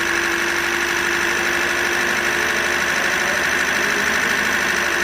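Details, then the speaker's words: Toyota Corolla 2ZR-FE 1.8L, 139,983 km, running: loose irregular rattle and knock mixed into the idle, noise from inside the engine; engine suspected to need overhaul. "जैसे engine की जगह सही नहीं है काफी sound सारे engine के अंदर से आवाज आ रही है"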